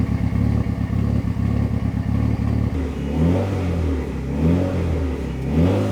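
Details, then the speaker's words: Fully built Mitsubishi Evo 9 on first-start break-in after an oil change and leak fix, revved and held between 2,000 and 3,000 rpm with a fan whirring nearby, warmed from 185 to 200°F; deep, smooth rise and fall with some backfiring, sounds healthy. "it sounds so good it's like backfiring and stuff now rant between 2 and 3,000 RPMs"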